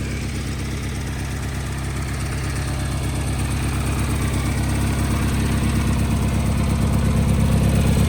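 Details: Wheel Horse 520H garden tractor with Kohler engine, long-sitting, running off its own gas tank after fuel system work: even, steady thumping at fast idle, revs creeping up smoothly with no misses or knocks; normal running, hydrostatic drive working.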